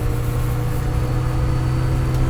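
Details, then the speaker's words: Lightly restored 1959 Mini 850 driving, steady engine drone with an even whirring 'revvy' fan tone from the original fewer-bladed cooling fan, which later many-bladed fans made quieter; normal fan noise. "And because they did make a revvy noise, you'll hear the revvy noise, because it's got the fan. They introduced the fan with more, what they call it, more blades on it. It was much quieter, but obviously I've kept this original so you'll get the sound of the..."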